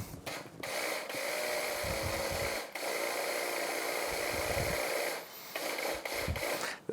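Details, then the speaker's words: Yamaha F225 outboard low-pressure fuel pump bench-run on its bracket: steady hissing whir cutting in and out with a rough, uneven tone, sounding far different from a new pump; abnormal pump, to be replaced with new. "Tell you what, just for fun we're gonna open up a new one and take a listen to it because uh that doesn't sound right to me."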